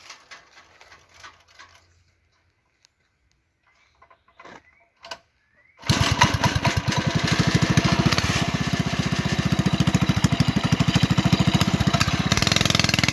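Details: Go-kart engine with drilled-out oversized carburetor jet, centrifugal clutch and chain drive: handling noise, then catches and runs with a steady rapid putter, settling into an even, healthy idle.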